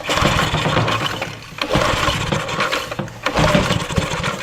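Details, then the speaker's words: Vintage Homelite generator, probably late 1970s, unused about 30 years, first start attempt with choke: sputtering bursts that catch briefly then die; won't keep running on its own, cause not confirmed. "I took the choke off, or put the choke on, it ran for a second more, and then it died."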